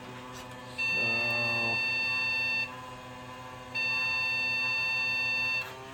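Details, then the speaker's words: Gateway G6-350 chassis upgraded with a newer motherboard, at power-on: long steady high beeps with pauses, board alarming; a bad fan noted, memory issue suspected but unconfirmed. "okay so I soon as I plugged this thing in it turned on and started beeping violently at me um not sure what's going on because this thing worked before I pulled the motherboard out of the other chassis"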